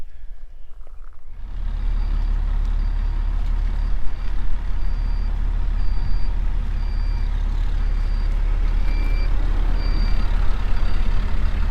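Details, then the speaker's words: High, thin warning beep repeating about once a second over the truck's low engine rumble inside the cab while the gas light flickers on and off; the cause of the intermittent beep is unknown. "that beeping is going to be annoying which one that beep beep is it beeping up there yeah I could hear it"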